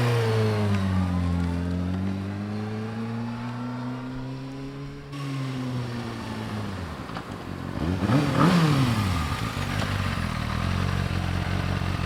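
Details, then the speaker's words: 2007 Kawasaki Ninja ZX-6R, 5k miles, sat 10 years, rebuilt with new fuel pump, likely stock muffler; clean even exhaust note rising and falling smoothly around 5000 rpm, no misfire or clatter, healthy revving. "and the rpm sound um i mean like that sounds pretty nice like about 5000 it actually works pretty good i think it's a stock muffler too"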